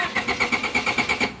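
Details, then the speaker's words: 1993 Honda Accord automatic with a flashing D4 light, often failing to restart after a short stop: the starter spins the engine in quick, even beats, about seven a second, and it never fires; failed main relay was the fix. "Car won't start. Turns over, just won't start all of a sudden."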